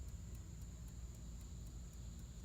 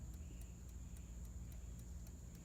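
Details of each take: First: 1954 Chevrolet 210 (chopped, Bel Air trim), engine off, during rewiring under the dash after the wiring fried: the dash clock, which never seemed to work, now ticks about four times a second over a faint whine. The owner wonders whether it's electronic since it whines. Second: 1954 Chevrolet 210 dash clock, never previously working, heard during rewiring after the dash wiring burned: faint, crisp ticks about three to four per second over a quiet low rumble; clock now ticking normally.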